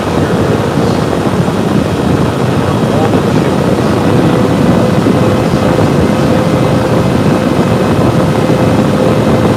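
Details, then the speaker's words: Server under stress test on the stock air cooler with the side panel off, CPU temperatures reaching about 80–85 at the end of the test: loud steady fan roar with a faint whistle as fans ramp to full speed from CPU heat, before a liquid loop install. "right now this is on the stock air cooler back so you can start to hear the fans pick on the system would probably be happier if we have the side panel on it"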